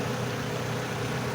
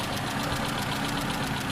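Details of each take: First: Owner's own diesel after adding a metal-coating engine additive, which had a loud clattering tick before; steady even idle rumble with no ticking or knocking; normal idle after treatment. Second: Engine idling with a loud, rapid ticking over a steady clatter. This is before a metal-coating engine oil additive is added; after adding it, the ticking went quiet.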